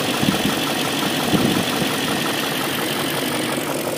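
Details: BMW M62B44TU V8 with stock exhaust, chain tensioner (BMW 11317531813) replaced with an aftermarket INA part; steady idle with light metallic chatter on top, a timing chain rattle that sounds like a slack chain.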